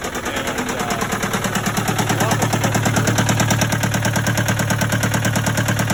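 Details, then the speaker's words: Case 188 four-cylinder diesel tractor idling before teardown: a lumpy idle with a hard, regular knock about three times a second and an uneven firing beat, smoking. Number one cylinder appears to be misfiring, not firing at all. "there's something going on with the motor it's missing real bad it's smoking a number one cylinder appears to be misfiring not firing at all this is a 188 four-cylinder case diesel"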